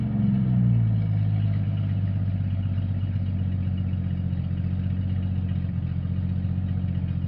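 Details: Jeep Cherokee XJ 4.0 High Output: deep steady drone with low uneven rattle at idle and light revs; noise traced to the torque converter, not the engine.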